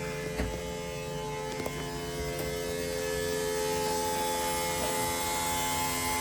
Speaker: now we need to prime the whole system and this is the scary part should crank and then there we go we got three and a half bar fuel pressure and we heard it go through there